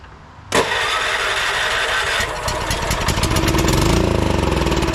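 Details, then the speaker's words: Late-1990s Honda Harmony 1011 ride-on mower, using the original key switch after confirming good spark, old fuel in the bowl: quiet, then a sharp catch, settling straight into a steady, even run. Normal start and idle. "there we go she fires"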